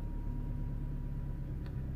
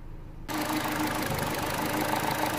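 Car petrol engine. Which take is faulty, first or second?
second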